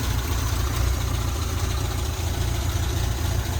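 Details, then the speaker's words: Volvo 122 at idle just after fitting a new 2-inch sport exhaust, first start: low, lumpy petrol idle with faint uneven puffing from a small exhaust leak, less than before; much quieter overall, smells a little lean. "A little bit of an exhaust leak. It smells a little lean. It sounds pretty good. Much quieter than before. Still have an exhaust leak. Just not as bad."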